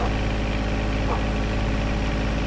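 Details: John Deere 1025R tractor after replacing the under-floorboard main fuel filter that caused surging and stalling: steady low diesel drone at idle, even firing with no surging, hunting or stumbling; idling normally.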